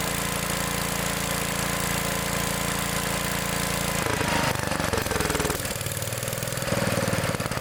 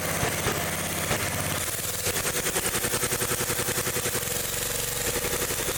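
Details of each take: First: Old Gravely mower started on choke after an adjustment checked with a feeler gauge: cranks, catches and settles into a steady single-cylinder beat that gradually evens out; the engine runs properly. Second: Old Gravely small engine revved: fast, uneven popping that never smooths out and runs badly at high RPM. The points arc when revved and carburetor adjustment doesn't help; worn points and condenser are causing the misfire.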